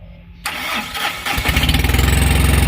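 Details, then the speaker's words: Tata Ace Mega XL diesel that previously would not start on the key, after repairing the corroded key-switch connector behind the ignition lock: brief crank, starts at once on the key and settles to an even idle clatter; fixed. "আর গাড়ি start দেখো, বোর্ডে সব কিন্তু বাতি আসছে তো। আর start করছি দেখো চাবিতেই,"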